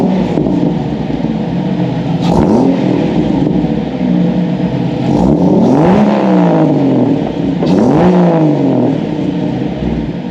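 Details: Jeep YJ rock crawler buggy, 4.0L straight six, new custom stainless side-exit exhaust wrapped in DEI exhaust wrap: deep even drone with clean rev sweeps, no ticks or rattles; healthy exhaust note.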